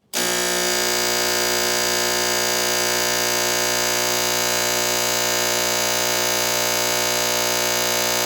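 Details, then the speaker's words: Sunfire heater primer switch pressed: loud, steady buzzing drone as the fuel pump primes the lines, loud until the system fills with fuel; sound changes once air clears from the cloudy line. "we're going to hear a pump run. It's going to be loud until the system is full of fuel."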